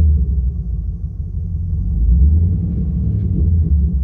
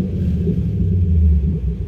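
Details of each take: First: Chevy Camaro V8 with a Service StabiliTrak warning and misfire/injector open-circuit codes P0174, P0202, P0302: a rough, lumpy, uneven idle with a slight knock and a machine-gun-like stumble. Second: Chevy Camaro V8 after repair, which had shown Service StabiliTrak with codes P0174, P0202 and P0302 and a rough idle with a slight knock. A deep, even idle with light throttle and no more misfire. Normal idle.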